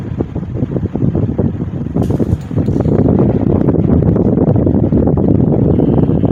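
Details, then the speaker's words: GE motor after repair, motor halves releveled and tapped back onto the housing: fan hum with uneven, rattly worn-bearing chatter that never settles, improved from before but still present. "It's better than what it was before. You still hear that bearing chatter in there."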